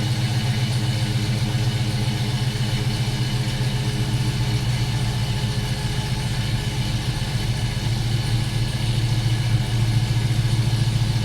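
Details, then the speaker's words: GMC Sierra swapped from 4.3 to 5.3 V8 with a mild cam, new tune, cold start after a couple weeks sitting: deep steady idle with gentle rhythmic lope, not choppy, healthy. "It's a cold start, hadn't been started in, I don't know, maybe a couple weeks now. You can definitely tell it has a cam. It's not like crazy choppy, but you can for sure tell."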